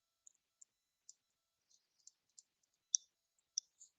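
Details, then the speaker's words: 2002 Triumph Speed Four with a no-start and suspected missing injector pulse, engine not running: the injectors give small, sharp, audible clicks at an uneven pace, so they are firing; fuel pump running with strong pressure. "Oh, it's worked. The injectors have a nice little audible click."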